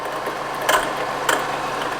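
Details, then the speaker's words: Honda CR-V engine running; sharp ratcheting clicks about every two-thirds second, battery light and near stalling when revved; owner suspects alternator pulley clutch breaking down and free spinning, replaced alternator — alternator pulley rattle. "so I think that is the alternator pulley which has got a clutch in it so I think the clutch side of the pulley is breaking down and it's just like free spinning"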